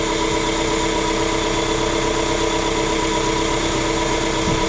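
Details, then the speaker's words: Warm-up idle of a 2016 Dodge ProMaster City with AC running, after correcting swapped cooling fan connectors on an aftermarket fan fitted by a prior mechanic to cure overheating; steady, even hum with no misses or rattles, normal idle. "usually takes a few minutes to kick in so there we go working perfect perfect perfect nice"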